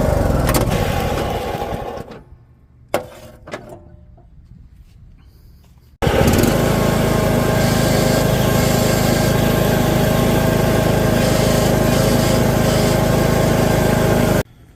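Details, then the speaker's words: Husqvarna YTH18542 riding mower with 42-inch deck, engine runs but won't move: steady even drone with a faint high screech; transmission suspected stripped, not yet confirmed. "So it seems like it's screeching. I gotta look into it, but it sounds like it's just screeching."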